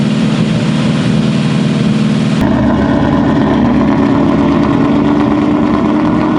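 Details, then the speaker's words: Built Mustang GT on first start, cam break-in held near 2000 rpm: a loud, steady V8 at fast, even speed with no knocks or misses, smoothing out; oil pressure good, slight steam from a suspected small water leak; normal. "all right here we are can't break in we're trying this time we've made it longer than last time engine's smoothing out a little bit oil pressure is good"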